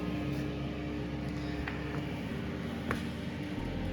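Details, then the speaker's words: Portable electric carpet cleaning machine after vacuum motor replacement, vacuum switches still off: steady even hum with constant mid tone, no rattle or scrape; the untouched cooling fan is running normally. "The fan's working nicely, which it should, because that hasn't been touched at all."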